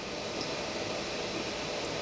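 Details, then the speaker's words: Pressure canner, vent starting to release steam; steady airy hiss with faint spits and droplets plopping out, normal early venting, not yet a full stream. "you can see a little bit of steam is starting to come out and droplets of water are kind of plopping out the top of it"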